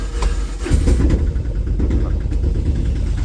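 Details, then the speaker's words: Autorickshaw single-cylinder diesel on its first cold morning start after an overnight rain, started with the decompressor: an uneven, stumbling, loping chug that steadies after running a while. "അപ്പ ഈ sound കുറച്ചു നേരം നിന്നു കഴിഞ്ഞാൽ ഉടനെ ആ sound മാറുന്നത് നിങ്ങൾ ശ്രദ്ധിച്ചോണേ"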